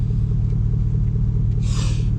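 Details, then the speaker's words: Cadillac Escalade with a stock 5.3L LS V8 after throttle body cleaning, idling in drive; the idle once dipped below 500 rpm and nearly stalled, and the check engine light is on; deep, even burble stays steady with no sag. "yeah so it isn't it doesn't diplo the put it back in park and the idle stays the same put it back in gear and here is where you would almost actually shut off so I think that might have done a trick"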